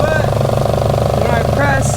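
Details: 1JZ-VVTi swapped Nissan S14 240SX with CD009 gearbox, BC 264 cams and Borg Warner turbo, first start, warmed up: steady rubbing rasp over the idle, the harmonic balancer scraping the front timing cover.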